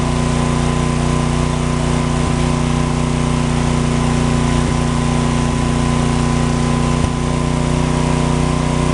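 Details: John Deere/Briggs & Stratton 4000-4400 W generator, after magneto coil repair restored spark: steady even loud drone at constant speed, no misfire or stumble; running properly, no outlet voltage suspected from failed GFCI receptacle.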